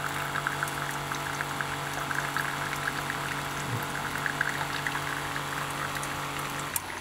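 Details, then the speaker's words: Keurig coffee maker after modifying the pump drive pulse width: steady, even pump hum with water pouring into the cup, noticeably faster motor speed, no surging or stalling; pump running normally. "wait what a difference in motor speed right listen to that thing it's just moving along"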